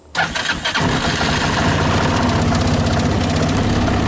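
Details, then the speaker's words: 2014 Linhai Big Horn 400 UTV 28 after rewiring (battery relocated, doubled, heavier starter solenoid, fan control fixed): brief starter whir, engine fires at once and settles into a steady even idle; normal quick start. "anyway I just hit the starter button"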